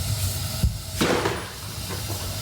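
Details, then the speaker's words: Whirlpool NU40T121-403 water heater after replacing the burner door assembly (previously a big boom on ignition), tested on low with the shutter not yet reinstalled: soft whoosh as it lights, then a steady low hiss with no boom; normal burner firing. "looks like the flame is up I can hear the sound and till now there is no sound"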